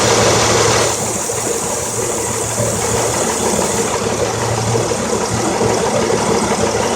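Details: 2003 Honda Accord EX 3.0L V6 6-speed, 171k miles, K&N filter, 250A alternator: stumbling idle with irregular lopes about three a second, DTC P0300, P0303-P0306; cause was one new ignition coil dead on arrival.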